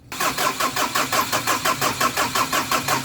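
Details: Ford Ranger after top overhaul, first start attempt: starter cranks steadily at about three pulses a second with no catch or firing; crank no start, a leaf found lodged was removed before it started.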